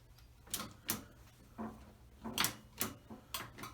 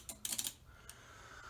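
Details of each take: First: Outboard motor being rewired after broken wires found: relays click and lights come on, but the key switch gives only a sharp dry click with no starter motor turning or cranking. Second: Outboard motor wiring hooked to power after repairing broken wires: a quick burst of sharp relay clicks, then quiet; console lights come on. Normal relay clicking at power-up.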